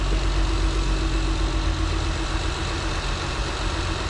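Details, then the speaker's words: Acura TL V6 after RL cam and P2R runner and spacer install: smooth steady low idle, even beat, no ticking or tapping; healthy, idle relearn by battery reset discussed. "yeah it's always part brand new so we'll see kind of quiet i think he's like not even ticking or anything"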